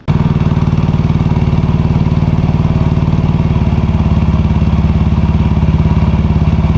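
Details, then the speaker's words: Yamaha NMAX (old model) scooter after fitting a stainless steel air filter: strong steady single-cylinder thumping with even pulses, no knocks or rattles, and throttle feels more responsive. Normal scooter running. "Nah ini kita dapat rasakan ketika dihidupin di gas itu memang terasa lebih responsif."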